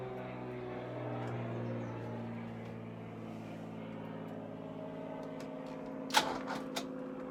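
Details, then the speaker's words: 1983 Ferrari 308 QV with a weak battery and a recently fixed fuel leak: slow, even cranking that almost catches and chugs but never fires, then fades with a few clicks as battery power runs out; no-start, battery suspected. "so every time I am getting to a point where I've got a little bit in there the car is firing over its almost trying to start yeah I can hear it kind of chugging but then I just lose my battery power"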